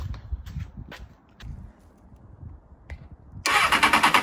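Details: 2007 Honda CBF600 start after a water pump leak repair and coolant refill, before bleeding: quiet clicks, then it catches at once and settles into a steady, even beat with no knocks. Healthy start and idle.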